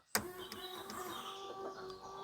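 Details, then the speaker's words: 1999 Daewoo Matiz, newly fitted front and rear washer pumps, ignition on: a click then steady even electric hum; both pumps working normally. "but if we pop the ignition on and go front, that's definitely washer noise, and backs."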